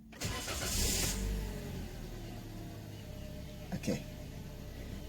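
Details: Toyota Calya after fuel filter removed and cleaned, ignition left on about half a minute to a minute to build fuel pressure: quick crank, engine catches, revs briefly, settles to a quiet even idle; starts cleanly.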